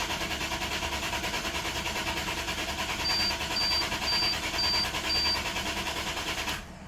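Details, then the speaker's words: 2001 Lexus IS300, key on, no security light, no codes despite check engine light, fuel smelled, ETCS and amp fuses replaced: starter cranks evenly about twice a second without firing; ETCS or throttle body suspected. "Absolutely no fire. I'm not pulling any codes despite the check engine light."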